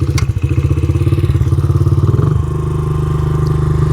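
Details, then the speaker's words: Dirt bike carbureted engine, fully warmed up, after a rev during a mixture-screw test: single-cylinder thumps at a fast, even idle that won't drop back down; hanging idle from a lean pilot mixture. "So, right now you can hear it has a hanging idle. I just revved it up and it's still idling high. It might take a while to settle back down if it does at all."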